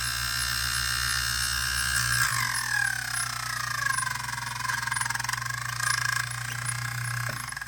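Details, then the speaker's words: Robbins & Myers vintage fan, first test after restoration on a makeshift plug, with the blade, cage and gearbox off. It runs on all three speeds but seems to spin the wrong way. Steady hum with a pitch-sliding squeal; owner suspects brush holders or gears. "And that sounded a little funny. I wonder if it's hitting the brush holders or it's just these gears with the gearbox off making that noise."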